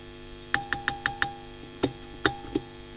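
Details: WEM Musette Mk 2 (Dominator Mk 3) valve guitar amp during service, steady low mains hum with sharp clicks and knocks from handling; Mullard preamp valves microphonic and inputs grounding, a noisy amp; cause suspected, not confirmed.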